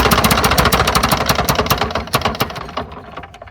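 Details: Lawn-Boy "bricktop" two-stroke mower, drill-spun: quick sharp pops about four a second, slowing and fading without catching; owner suspects a plugged carburetor.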